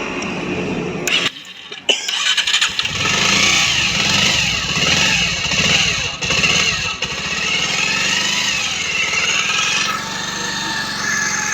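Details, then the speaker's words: Bajaj Pulsar 125 BS6 after clutch plate and timing chain replacement: bike starts and settles to an even, smooth idle with no rattle; earlier heavy clattering from the engine is gone, no fault codes. "अब जो इसकी sound है पहले से बहुत ही अच्छा sound आया है। पहले क्या था, किटकिटाहट जैसा बहुत ही ज़्यादा साउंड आ रहा था, अब उस तरीके से बिल्कुल भी नहीं है।"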